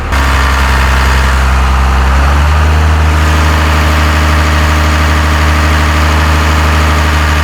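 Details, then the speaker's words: 12-valve Cummins in a 1993 Dodge W250, first start after head gasket replacement and fuel bleeding: steady even diesel idle, smooth low rumble, no knocks or misses; idle slightly low, good oil and fuel pressure; normal. "So, it looks like my idle is going to have to go up a little bit. We got good oil pressure, good fuel pressure. EGT probe is reading. Things are looking okay."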